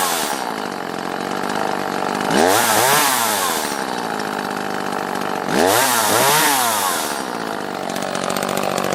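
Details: Echo CS-330T top-handle two-stroke chainsaw after removing the gasket that blocked the carb vacuum port: holds a crisp high-revving buzz, dropping to a lower laboring note twice as it cuts wood; runs and cuts cleanly.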